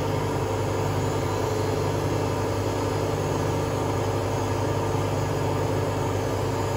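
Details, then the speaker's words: Hotpoint Aquarius WMA32 washing machine, drum previously replaced with new bearings, test spin: steady loud low droning rumble through fast spin; owner suspects broken bearings or broken spider, bearings likely need replacing again. "well best way to put it I think it's a bit ruined if it isn't a broken spider it's broken Barons is it"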